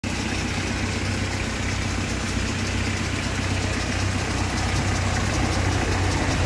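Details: Citroen Berlingo 2.0 HDi diesel at idle: continuous gritty whir over the diesel clatter from the auxiliary (accessory) belt tensioner pulley bearing, which needs replacing.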